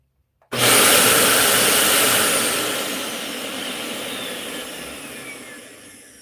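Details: Dyson UP19 upright vacuum running with the filter removed: loud, even rush of air, steady with no whistle on top; clean normal run, confirming the whistle came from a gap at the filter.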